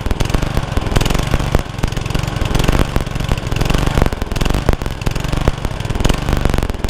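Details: Honda Lawn Flite 553 HWS lawnmower on the bench, used for weeks before this: choppy note that rises and sags unevenly instead of holding steady; the engine is hunting.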